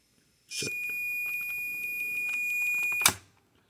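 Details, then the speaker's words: Laptop hard drive running with its top cover removed: steady high whine with faint regular ticks for about two and a half seconds, then stops; owner suspects head arm alignment is off. Hard drive whining and clicking. "oh when it's making that noise that means up my alignment for the armor is off a little bit"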